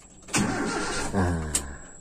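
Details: Toyota Kijang (3K/4K/5K/7K engine) just after fitting a points-type distributor and adjusting ignition timing: starter turns the engine about a second and a half but it never fires or catches; cause unconfirmed; crank no start.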